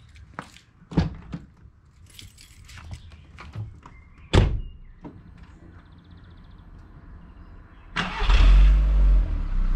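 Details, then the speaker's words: Mk4 VW Bora Wagon, 1.6 16-valve engine, stock exhaust and muffler, warm start after an hour's drive: clicks and key, quick crank, clean catch and steady, even idle rumble, nothing odd; normal start and idle. "So there's your startup and some revs, both of these stock exhausts. Pretty uneventful."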